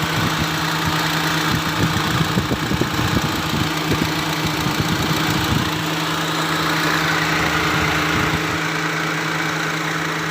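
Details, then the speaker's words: Used car being checked before purchase, engine idling: both electric fans (radiator extra fan and AC fan) give a steady whoosh with no scraping or wobble, a normal fan operation. "Extra fan-nya mutar ya. Tuh. Ya jangan disentuh, bahaya ya. Itu juga mutar dua-duanya ya, karena ini extra fan radiator, ini AC."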